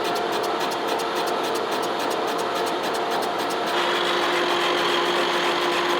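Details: Boring the worn, out-of-round cylinder of a 1917 A.D. Baker steam traction engine on a Lucas horizontal boring mill with a Chandler Duplex boring head: steady cutting hiss with light regular hits, about four per second, as the cutter strikes two high spots.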